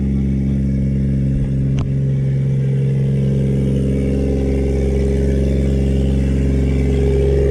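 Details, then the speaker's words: Project car with no exhaust fitted, aiming for 400 HP tune: loud raw drone on startup with rising rev and sharp pop near two seconds; very loud because the exhaust system is missing. "Far away for you to hear me speak, because the car is way loud. That's what I was talking about."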